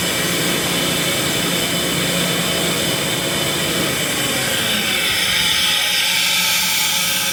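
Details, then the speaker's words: Ingersoll Rand SSR-EP60 60HP air-cooled rotary screw compressor, 98,485 run hours, tank at about 85 PSI: loud rush of air over the running hum, tone easing as it unloads and vents down before shutdown; normal blowdown. "You can hear it unload. That has to be way down before you stop."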